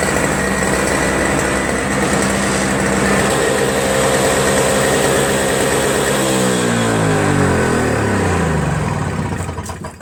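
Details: Toro Snow Commander 7HP R-Tek 24" single-stage snowblower, previously no spark; after reassembly, owner suspects an improved ground restored spark: smooth even beat for about six seconds, then pitch falls steadily as it winds down; normal running.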